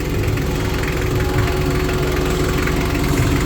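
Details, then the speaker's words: Mitsubishi L300 FB diesel just restarted after heavy PMS (EGR valve cleaning, 5-liter oil change, new valve cover gasket, valve clearance readjusted): steady, even idle clatter with no knocks or misses. Quiet, healthy engine. "Wow, ganda ng tunog, eh. Tahimik na tahimik pa, no?"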